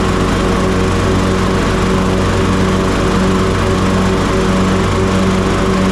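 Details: Toro TimeCutter MX4200 74765 zero-turn, had smoked and died off choke; on fresh ethanol-free fuel with fuel lines refitted: steady even single-cylinder drone off choke, no hunting, surging or misfire; running healthy, earlier cause unknown.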